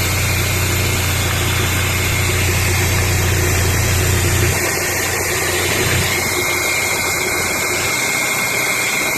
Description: No misfires smooth and firm idle